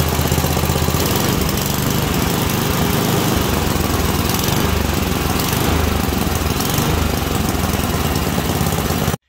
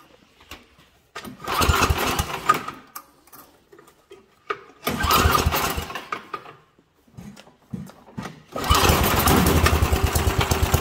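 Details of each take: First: Small single-cylinder engine with adjustable carburettor set correctly: steady, even running, no pops, snaps or bogging, responds properly when revved up and dropped; mixture set right. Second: all right that was a lean condition so your key characteristics of a lean condition you can hear it was popping sputtering did not want to rev up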